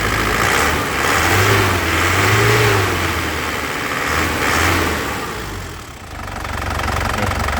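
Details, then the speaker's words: 2012 Isuzu Panther Grand Touring diesel: throttle blips, with the clatter rising and falling smoothly, even, with no misses or knocks; no smoke from the exhaust. Normal revving. "Nah itu mobilnya sehat seperti itu kan, reng gitu. Itu mobilnya mobil sehat."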